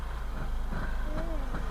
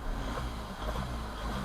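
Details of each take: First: Learner car, demonstrated against a happy idle: deep, slow chugging pulses, engine straining at very low revs in too high a gear, an "unhappy engine": lugging. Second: Learner car stopped, heard through the open window: low, steady rumble with no knocks, misses or surging, a "happy engine" just sitting chilled: normal idle.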